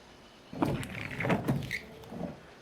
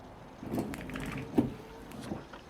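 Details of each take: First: Windshield wiper sweeping glass with only a few drops of water, dust cleared: rough squeaking judder near the end of the stroke; wiper blade chatter. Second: Same car wiper on wet glass after straightening the bent blade support so the rubber is aligned: smooth, even swishes with no stutter or chatter; normal sweep, chatter fixed.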